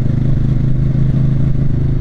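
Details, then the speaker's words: Motorcycle at full throttle: loud low drone that stumbles and wavers as power drops, then stalls; rider finds it out of gas, fuel starvation, needing reserve. "it's acting really weird Oh what's going on I'm losing power my out of gas"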